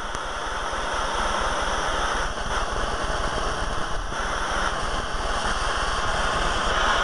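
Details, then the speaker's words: Acetylene torch kit converted to propane (Gentec KA-51-TCPW, 0-size tip): oxygen added to the cutting flame gives a steady, even hissing roar, no popping, flame about 3.5–4 inches, burning properly adjusted. "add your oxygen and you'll hear the difference as it comes down through and you'll hear that hissing noise"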